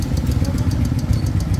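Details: Honda Wave A100 motorcycle at idle: light, quick metallic ticking that grows louder with throttle, and the head-cover gaskets are leaking oil. Fix: replace the gaskets and adjust the valve clearance; if the noise persists, remove the cylinder head for repair.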